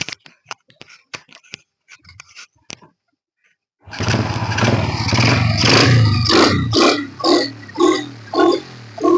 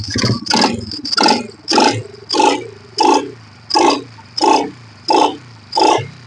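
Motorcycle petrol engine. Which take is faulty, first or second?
second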